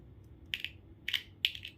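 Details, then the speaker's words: Car tweeter tested by touching a 1.5 V flashlight battery to its terminals: four sharp crisp crackles in about 1.5 seconds; coil intact, tweeter not open. "แสดงว่าไม่ขาดนะครับแสดงว่าลำโพงแหลมตัวนี้ไม่ขาดนะครับ"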